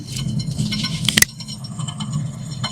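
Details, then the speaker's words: 2010 Acura TSX 2.4L: a steady low roar with a gritty grinding edge from the left rear wheel bearing, heard with the wheel off the ground. The hub also has play; the hub assembly is being replaced. "Customer states that they're hearing a roaring sound. Upon further inspection, the left rear wheel bearing is making noise."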